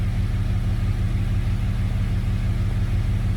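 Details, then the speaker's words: Jeep after repair of cylinder 3 zero compression from a bolt in the intake holding a valve open: smooth even low rumble at steady 750 rpm idle, no miss or tapping; healthy normal idle. "It's idling perfect right at 750 RPMs."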